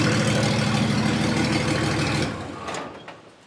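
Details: 1954 Ford F600 car hauler diesel, first start with no exhaust fitted and oil pressure come through without long priming; loud, raw, evenly paced clatter running smoothly for two seconds before shutoff; normal running.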